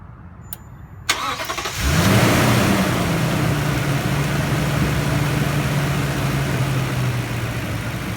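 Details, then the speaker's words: Toyota Tundra TRD: starter cranks, engine settles into smooth, even low idle with no ticking; ticking after an oil change to Mobil 1 was resolved by going back to Toyota synthetic oil. "so that pretty much took care of the ticking noise"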